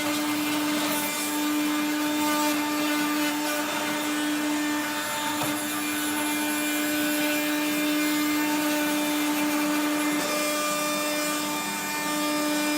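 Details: 1970s Regina Electrikbroom 3-speed vacuum running: high steady motor whine with a harsh rough grind throughout; motor bearings running dry after the vacuum was washed.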